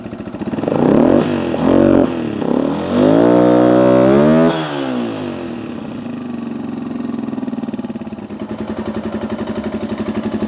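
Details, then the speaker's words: Dirt bike, cold after carburetor cleaning, choke just rolled off: a few quick revs, then a low, slightly uneven sagging idle; owner thinks it still needs adjustment of the air/fuel screw. "it's getting a little low see oh let's see you might still have some adjustments we need to make"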